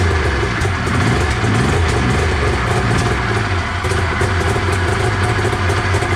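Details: 1993 Arctic Cat Thundercat 900 two-stroke snowmobile, first run after sitting: choppy, uneven low burble, rpm hunting slightly, but it keeps running on its own; normal running after sitting.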